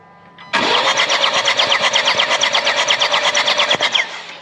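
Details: 2016 Jaguar XE Ingenium diesel, no-start in workshop: steady cranking about three beats a second for three and a half seconds, never catching; fuel pressure good and injectors firing, cause later found to be mechanical.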